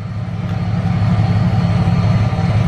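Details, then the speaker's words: Truck after fuel pump replacement (the old pump was rotted): first start, a smooth, even low rumble with a steady beat and no misses or stumbles; it idles healthy after the fix. "let's go ahead and start it up and see what happens okay there we go there we have it she's running"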